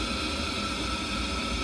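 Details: Ideal Logic condensing combi boiler fan running normally during a PWM voltage test on the black/yellow wires, 4.9 V DC feed confirmed: steady even whoosh with a constant high whine, no rattle, scrape or surging.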